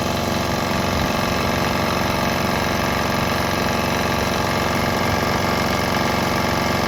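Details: Swan X 165F Chinese single-cylinder diesel running on straight used canola (fryer) oil; even thumping about four beats a second, steady, no misses or stumbles; normal running.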